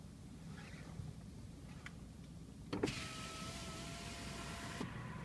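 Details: Mercedes E350 power window rolling up (down is fine): clunk then two seconds of harsh, gritty grinding whine from the window motor.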